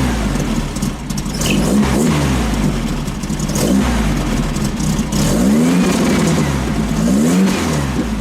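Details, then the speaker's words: 1915cc VW Manx buggy air-cooled flat-four with wrong ignition timing and 009 distributor, before fix: repeated throttle blips hesitate/stumble on tip-in before revving up quickly; loose belt slipping and squealing. "Revs up quick, that's for sure. does have that stumble immediately when you get on the front. It's got that stumble for sure."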